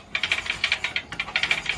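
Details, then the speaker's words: Diesel Bullet (Taurus) motorcycle being kicked over before it starts: sharp, light metallic "takke takke" ticking in quick bunches, about eight a second, from the cam gears rubbing against each other; the fix requires removing the clutch side. "ആ ശബ്ദം കേൾക്കാമല്ലോ. വണ്ടി സ്റ്റാർട്ടാവുന്നതിന് മുമ്പ് തന്നെയുള്ള ടക്കെ ടക്കെ എന്നുള്ള ശബ്ദം. ആ ശബ്ദം എന്ന് പറഞ്ഞു കഴിഞ്ഞാൽ ക്യാമിൻ്റെ ഗിയറുകൾ തമ്മിൽ ഒരയുന്ന ശബ്ദമാണ്."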